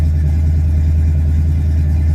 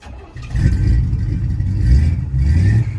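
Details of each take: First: 1967 Chevy C10 after a cold start: a loud, deep, booming tailpipe rumble at steady idle with nothing damping it; the owner says it is noisy and needs a muffler. Loud exhaust with no muffler. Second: 1967 Chevy C10 V8 started right after fitting a new Wix gas filter, checking for fuel leaks: catches and takes quick throttle blips without stumbling or bogging, no leaks found, and it sounds like it runs a little better. Normal running.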